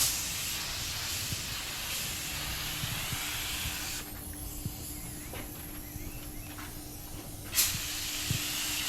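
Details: Normal spraying: just-cleaned Harbor Freight gun at 30 PSI priming an 81 Corvette hood; steady even air hiss while trigger held, easing off between passes, no spitting or sputter.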